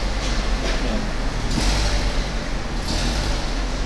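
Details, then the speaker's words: Car running at a UK auction: low engine rumble with a rough, puffing edge rising and falling with revs; judged to be blowing exhaust. "oh he's got your running already sounds right blowing exhaust"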